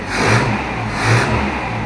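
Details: Toyota Hilux after the new ignition-points condenser went in to cure a weak spark: the engine picks up cleanly and swings through two even rev rises with no misfire or stumble, running well.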